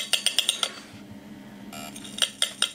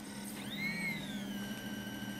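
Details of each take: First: Opened 80GB Samsung IDE hard drive powered up with its cover off: quick bursts of sharp metallic ticks, about five in half a second, then quiet, then repeated; the drive keeps clicking. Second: Opened 80GB Samsung IDE hard drive powered up with its cover off and a screw removed: a quick rising whine as the spindle motor spins up, then a steady high hum over a low electrical drone; the motor spins normally.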